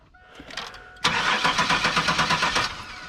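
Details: Car revived after years sitting: starter spins the engine at about six even beats a second for under two seconds and it never fires; fuel pump now working with pressure at the Schrader valve, consistent with no spark.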